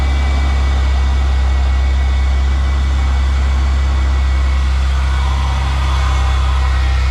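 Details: GM 3800 V6 just after alternator replacement for a battery warning light, now charging about 14 volts: steady, even low rumble at idle with no knocks, ticks or whine; normal idle.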